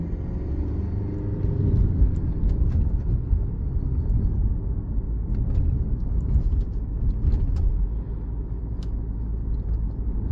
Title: Alfa Romeo Giulia 2.2diesel 150CV - What is this knocking sound at cold engine?